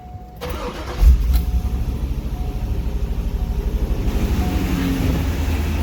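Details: 2001 C5 Corvette V8, first start after replacing valve cover gaskets and grommets, with engine covers off to check for oil leaks and a little residual smoke: a short crank, a clean catch, then a steady, even idle with no ticking. Normal idle.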